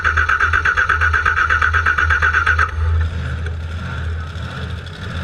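Steady cranking chug at about three beats per second for nearly three seconds, then it stops without catching: cranks but won't fire.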